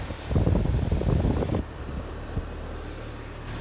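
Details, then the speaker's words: HVAC outdoor condensing unit on a no-cool call: steady low condenser fan rush with even airflow, no rubbing or bearing noise; fan moving plenty of air, coil not bad. "Plenty of air coming off of it. Pushing plenty out. Coil's not bad."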